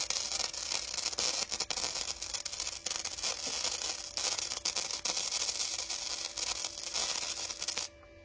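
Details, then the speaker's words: Parkside PIFDS 120 A1 flux-core inverter welder raised progressively to setting 1.5 gives a thin, erratic spitting crackle that stops abruptly; weld only stays on the surface because power is set too low. "mais c'est qu'en fait, vu que c'est pas assez puissant, ça juste reste en surface."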